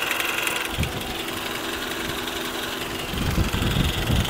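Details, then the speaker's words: 12-year-old Toyota Camry engine at idle; the oil smells burnt and there is light blow-by. A light uneven tick of two to three a second makes a rough idle, cause not yet found: engine ticking at idle. "Ito po umaandar, pero parang hindi ganun kaganda ang andar niya. Pakinggan nyo po. Merong ingay na naririnig tayo."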